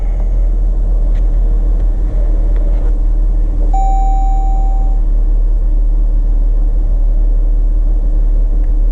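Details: Jeep Grand Cherokee WK2 near 100K miles, just after spark plug and PCV valve replacement, battery disconnected: steady low even idle with no knocks or misses; owner thinks idle sounds slightly low, but healthy idle.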